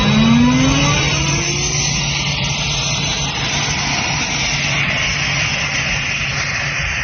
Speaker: Here we have a Gardner Denver Champion 40 horsepower rotary screw air compressor. Got it hooked up to 480 volts, 3-phase power, and we're gonna run it here and show you that it works.